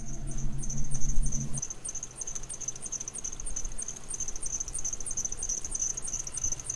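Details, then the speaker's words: Cheap Jeep with suspected slipping belt tensioner pulley; faint quick high-pitched chirps about three a second over the engine, belt still squeaking a little after belt dressing spray; cause suspected, not confirmed. "the belt is sticky now that I sprayed that stuff on there but it was still squeaking a little bit"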